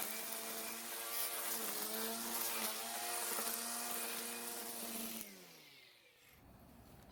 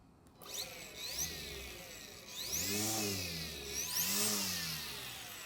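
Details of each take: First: Greenworks battery electric trimmer with newly installed universal trimmer head: high electric whine with fast buzzy slap, winding down; line seems too long and hitting the plastic guard, though it sits in a different plane than the cutter. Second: Greenworks battery electric string trimmer awaiting a new trimmer head: spins up to a high rising whine, eases off and repeats twice, no grinding; normal motor whine.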